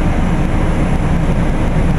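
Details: Carrier Infinity GreenSpeed 25VNA inverter heat pump outdoor unit starting in cool mode, same as in heat mode: deep steady rumble and whoosh, no knocking or rattling; sounds odd at startup but this is normal.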